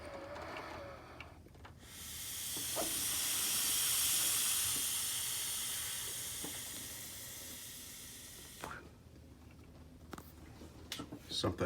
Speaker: so i'm testing a vacuum like i just shoved that in there and then i'm literally just blowing in there so it's not like it's got any high pressure but listen